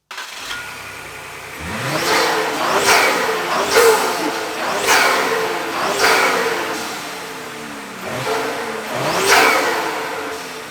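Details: 2020 Ford Explorer ST with a custom intake and clean K&N filters: engine fires, settles to a steady idle, then takes several clean blips with strong intake roar. Normal start and revving.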